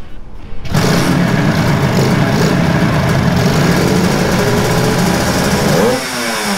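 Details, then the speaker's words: Suzuki GT185 two-stroke parallel twin, 184.9 cc, twin carbs, engine recently revived by a two-stroke mechanic after years unused; sharp buzzy note climbing crisply through high rpm then easing off cleanly, sounding healthy. "suaranya seganas itu di RPM tinggi"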